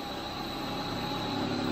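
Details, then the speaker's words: Underground mine water pump, single stage impeller, on a VFD slowly ramping up; ball check valve chattering slightly; even clean motor whine rising smoothly, normal start. "You can hear that ball check valve kind of chattering a little bit, and our motor's starting to ramp up."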